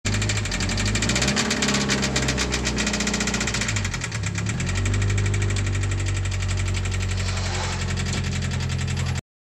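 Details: 2013 Scion FR-S FA20 engine running with rapid, hard metallic rod knock on every crank turn; teardown found the crankshaft bent with about 0.10 in main journal runout.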